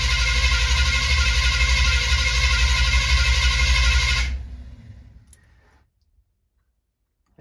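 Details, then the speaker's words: 1970 Chevy C20 V8 truck, little fuel, choke not hooked up: starter churns the engine at a steady pace without catching, then cuts out; hard starting. "the choke isn't hooked up either so it's a little bit harder to start"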